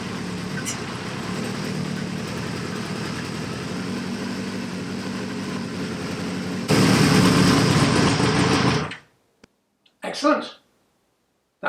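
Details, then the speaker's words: CB550 four-cylinder, long-sat project with a new battery, started stone cold on choke: it catches at once, holds an even, steady patter and shuts off cleanly. The number one carb is overflowing petrol, possibly a float sticking from sitting. "sound bad either sided nice and sweet"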